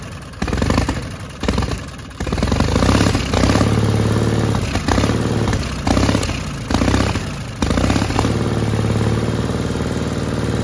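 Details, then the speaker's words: 1960 Onan industrial engine for a homemade Model T replica truck, first start in many years: a few stuttering catches, then a steady even low chug with no knocks, running normally after the fuel pump butterfly valve position was changed. "but anyway it's running I don't quite understand all the controls yet like that but uh that sounded good right okay that's a success"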